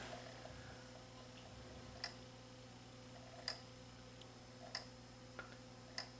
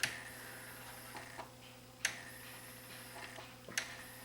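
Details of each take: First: Sony CDP-CE305 five-disc CD changer: quiet motor hum with sharp isolated ticks every second or so as laser seeks and fails to read track 9 of 13; other tracks play; suspected dirt on disc. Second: Sony CDP-CE305 five-disc tray/turntable CD changer, disc exchange button pressed: quiet light clicks about every 1.5 seconds over faint motor hum as carousel steps through disc positions; normal.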